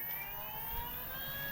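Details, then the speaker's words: Crosser Cargo electric vehicle, low-range reduction gear engaged, parking released, throttle applied: steady motor whine and gear hum but no movement; reduction gearbox shift pin misadjusted, set with two nuts. "Это неправильно отрегулирован палец понижающего редуктора. Если он будет сильно выходить, он просто будет стоять на месте и гудеть."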